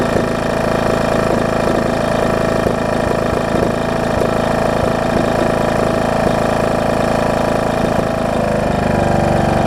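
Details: John Deere D110 mower rebuilt engine after head gasket replacement: steady even chuffing twin, no knocks or rattles, settling to a clean run; possible valve cover leak or burn-off; normal running.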